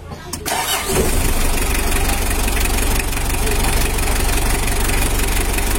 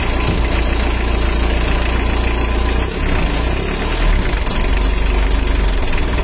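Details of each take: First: Mitsubishi L300 diesel after engine reassembly and 14B rotor head replacement, exhaust leak fixed: catches within a second and settles into a steady, even clatter with no misses; normal idle. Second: Mitsubishi L300 diesel, first start after engine rebuild with a larger 14B rotor head fitted: steady low chug with a sharp puffing tick on each firing pulse. Exhaust leak, fixed afterward.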